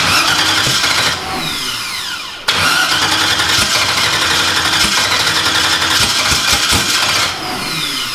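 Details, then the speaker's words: Newly installed engine on first start-up, given a little throttle: catches and roars briefly, sags and nearly dies, then caught again; no longer spraying fuel, fuel pressure queried; starts but won't keep running, cause unconfirmed. "I don't know. It won't run long enough to"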